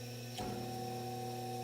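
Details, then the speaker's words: Superlectric box fan motor after rebuild with bearings sanded using 320 grit, first run on medium-low, blades off: steady hum with whooshing, rushing noise; bearing likely still not smooth. "medium-low as you guess it's here still got a lot of noise that's Shh that but it's now it's spinning"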